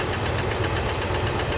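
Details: Old International Scout V8 left idling after the pushrod repair: steady, even low idle with a faint light ticking on top; settled and running smoothly.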